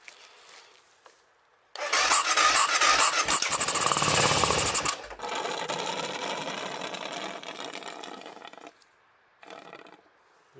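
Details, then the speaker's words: BMW F650GS stood five years, fuel pump previously replaced: fires on carb cleaner with a sharp squealing start, revs a few seconds, then sags and dies. Oil pressure is fine; it runs only on the spray, so it needs a new pump. "That's good. Oil lights, yeah, it's got oil pressure as well. So needs a new pump."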